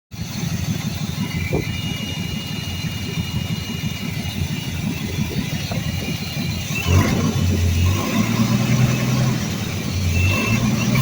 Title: 1982 Ford F150 300 Auto. There's a horrific vacuum leak around that quadrajet somewhere...